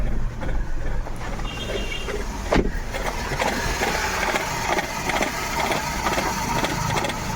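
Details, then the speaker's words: Maruti Suzuki WagonR with check light on, customer complaint of pickup loss: a rough idle with irregular stumbles and puffs, a full misfire that may stall. "देख सकते हो गाड़ी पूरी full मि fire है और गाड़ी बंद पड़ जाएगी थोड़ टाइम में"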